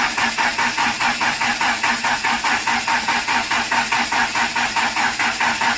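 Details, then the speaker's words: Conquest on a newly wired MegaSquirt with turbo and cam upgrades, first start attempt; even starter cranking about three beats a second that never fires, because the fuel pump relay was left unplugged. "Oh, the fuel pump! The relay! Oh, gee dang, that'd be a damn shame, wouldn't it? I was wondering what I didn't hear."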